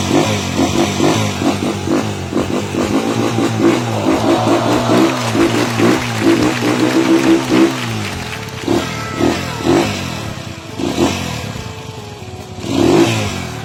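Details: Honda TMX single-cylinder motorcycle revving up and settling back: only a healthy exhaust note, no top-end tapping or clatter; engine sounds normal.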